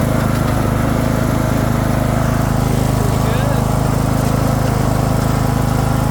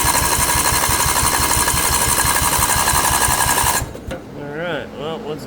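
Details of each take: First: Craftsman II lawn tractor with swapped newer engine, key switch bad: steady, even low drone with no misses, surging or knocks; normal running. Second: Craftsman II lawn tractor with swapped newer engine, solenoid jumped because key switch is bad: steady even cranking chug about three beats a second for nearly four seconds, never catches; cranks, no start, owner suspects solenoid not getting power.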